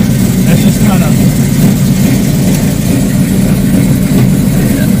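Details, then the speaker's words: 1972 Plymouth Barracuda, 340 V8 with very large camshaft, 727 auto, before Hemi swap: loud, lumpy low idle with uneven chop, lots of vibration and shake; rough cammed idle, cam likely too big for the 340. "So you can see it's got a lot of vibration, a lot of shake, you know. It sounds very muscular, very cool, but I'm not sure you would want to drive this every day in traffic, you know."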